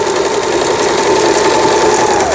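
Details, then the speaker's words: Lion JF1012 sewing machine, about 25 years old, after repair and lamp replacement: zigzag stitch on setting C, smooth steady motor whir and even stitching chatter, no knocking or binding; sewing normally. "자, C번에 지그잭 바느질이 나오게 되겠습니다."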